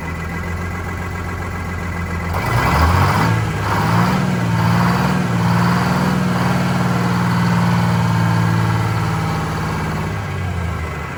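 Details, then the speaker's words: Vintage diesel bus in cold weather, cylinder cut-out test: rough, lumpy idle about four pulses a second, one weak cylinder misfiring; number 2 cylinder changed smoke level, its fuel injector to be replaced. "That's the one that changed the smoke level. That's the one that was barely."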